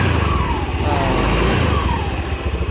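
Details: Honda Beat FI scooter, early injection model, after replacing worn CVT bearing and part that caused marble-like rattle: even idle with a steady low throb and smooth blips, no rattle from the belt drive; transmission now healthy.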